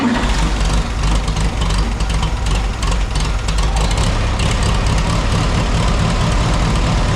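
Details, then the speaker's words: 1967 Farmall 140 tractor started after fan belt replacement, out of gear; loud, low, steady idle with even beat, no belt squeal or slap; normal idle. "all right looks like it's running through everything's good"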